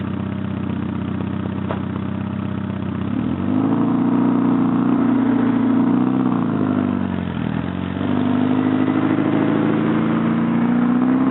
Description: Porsche 944 NA 1986 with an exhaust leak before the cat....I like the sound so I kept it.